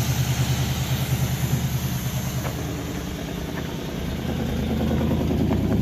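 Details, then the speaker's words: 1968 Impala, 300 hp 327 V8 with Turbo 400, reportedly off the road about 40 years, fed gas from a bottle after only cleaning the points: low, steady, even idle lope with no misses or knocks. "all I did was clean the points off and left everything else alone and it's just sitting here idling"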